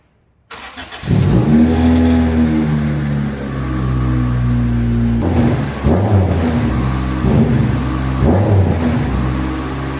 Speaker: Definitely still loud, but so much less raspy. So much more cleaned up.